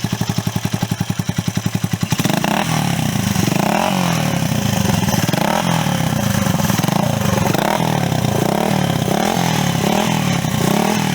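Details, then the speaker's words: Honda CB125S riding through revs and gearchanges with a new Wemoto aftermarket exhaust: harsh, booming rasp far too loud for a 125 and not MOT-passable; owner guesses the baffles were left out at assembly, not confirmed. "I mean, my guess is that whoever assembled the exhaust forgot to put the baffles in. It is unbaffled, effectively."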